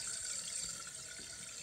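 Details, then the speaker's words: Toilet fill valve just replaced to cure a constantly running toilet: steady hiss of water filling the tank, no hammering or squeal, stopping when the lever is released; valve working properly. "filling up and when you let go stopping see okay this is the finished product fully installed"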